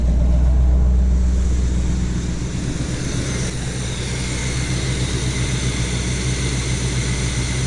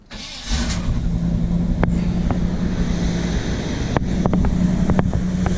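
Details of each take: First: 1975 Chevy C10 with factory Quadrajet carb, first cold start after the carb rework fixed a high idle. A steady, even low rumble holds one speed with no misses or knocks; the cold fast idle sits low and should be about 1200–1600 rpm. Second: 1975 Chevy C10 with factory Quadrajet, warm, off the idle screw after a carb rebuild and new intake gaskets: fast steady idle near 1600 rpm that won't settle, secondary throttle blades likely not closing; high idle.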